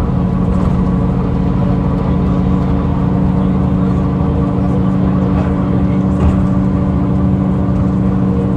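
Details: 2009 Mercedes-Benz CapaCity bus, OM 457 hLA Euro 5 diesel, ZF Ecomat 6 HP 602 C six-speed automatic, ZF AV 132 axle, running: steady low drone with constant whining tone; unusually noisy automatic gearbox.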